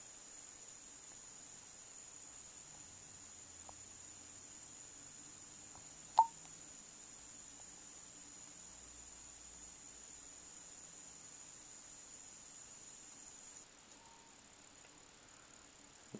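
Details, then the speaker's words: Brand-new Apple AirPort Extreme Base Station (5th generation): faint, steady high-pitched buzzing, staticky, clicking noise during large Wi-Fi transfers, faint when nothing significant is downloading, diminishing as soon as the transfer finishes. "a strange buzzing staticky clicking noise that occurs especially when large downloads are occurring"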